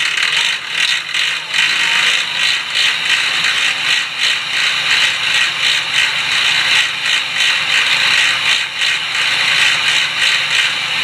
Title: Is it worn out fixed cog fixie bike sound ? Replace fixed cog? slipping loud noise